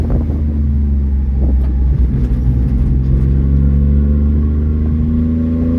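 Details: 1994 Honda Acty 4x4 truck, 660cc three-cylinder gasoline, 5-speed manual, 114k km: loud raspy blatting exhaust climbing with revs from an exhaust leak ahead of the muffler.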